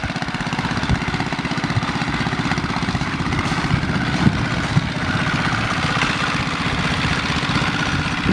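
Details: Old worn 2 hp Briggs & Stratton engine swapped into a Baja Dirt Bug in place of the China engine with a bad crank seal, straight exhaust: even, quick putter with no misses; sounds really good.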